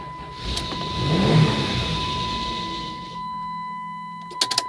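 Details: 1996 Dodge Grand Caravan SE 3.3 V6 automatic, start attempt with weakening battery: steady electric whine about three seconds, then low uneven hum and clicks; won't stay running.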